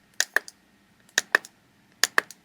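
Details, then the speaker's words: Fuel injector from a 1980 BMW 528i (E12) on a pulser tester at setting 1, mic held close, being tested before cleaning: crisp paired clicks about once a second in a quiet room; normal injector clicking. "Hear it click. So if we set it on 4, that's continuous."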